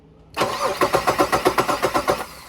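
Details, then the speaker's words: 2004 Jeep Liberty with a no-crank complaint, starter tested by applying voltage directly: even crank pulses with strong steady turnover for about two seconds; the starter works, so it is not a starter problem. "so yes so the starter does work so it's not going to be a starter problem on here"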